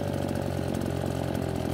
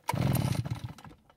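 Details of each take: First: Nearly new Redmax EBZ8500 backpack blower that flooded and wouldn't start, started with modified procedure (unchoked clearing pulls, then choke): strong, even two-stroke howl at steady speed, then clean rev drop at shutdown; runs fine. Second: Nearly new Redmax EBZ8500 backpack blower, only a few hours on the engine, quit after 30 minutes' use: single rough pull-over rumble fading with no firing; cranks without starting, ignition failure suspected before spark check.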